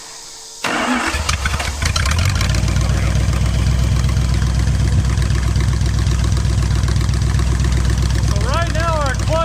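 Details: Plymouth Satellite muscle car V8, revived after 35 years abandoned in the woods, engine burning no oil. Brief crank, then it catches at once and settles into a steady, even, deep run with no misses or knocks; normal start.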